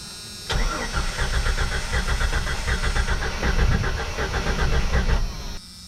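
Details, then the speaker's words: 1995 Jeep Cherokee XJ engine running as when first bought, before rebuild work: catches then chugs unevenly with lumpy, stumbling beats, running on only a few cylinders; multiple-cylinder misfire, later traced partly to a frozen lifter. "and you heard that it was hitting on all cylinders, and this is what it sounds like when it's not hitting on all cylinders, maybe 1 or 2."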